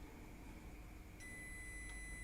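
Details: Multimeter for laptop repair, a second meter in diode mode (unlike the first, which stays silent in diode mode), probes touched together: quiet room, then a steady high-pitched beep. Multimeter continuity beep.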